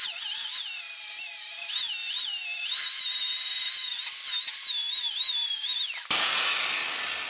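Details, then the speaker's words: Makita GA4530 6-amp 4.5-inch angle grinder with a more aggressive-grit flap wheel grinding a spot for a welder ground clamp: high steady whine dipping slightly under load and spinning back up; healthy, comparable to the Fein. "Well, it seemed very comparable to me."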